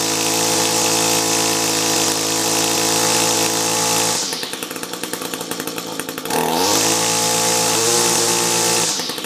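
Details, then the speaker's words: Echo SRM-210 trimmer with a rebuilt carb, compared against an identical engine on a new carb: buzzing revs up and down, note stutters when throttled back. Rough running; cause unconfirmed. "So, it's probably up to interpretation, but the other one definitely didn't sound like it was breaking up nearly as much. The other one wasn't breaking up, to be honest. It was just choppy-ish, let's say that."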